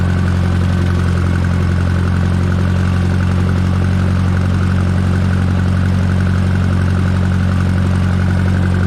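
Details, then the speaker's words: Minneapolis Moline JetStar 3 Super tractor pulling a bush hog while mowing pasture: deep, steady, even drone under load; no knocks or misses, the old engine runs healthy. "yeah, it's a good day to let the jet come out here and work a little bit. So we'll make a few rounds and see hear the old jet beller."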